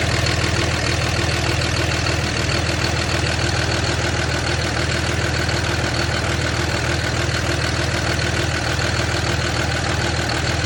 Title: 06 #cummins weird rough idle issue has dtc codes for fan clutch and wastegate solenoid